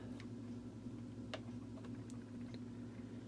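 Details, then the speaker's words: Sears variable plug-in timer model 796.66400 (Intermatic D111 type) after replacing disintegrated main drive gear: low, steady electric hum with faint ticks, timer motor starts five times in a row and runs smoothly. "three times four times we'll do five times it started five times in a row I think it's going to work again"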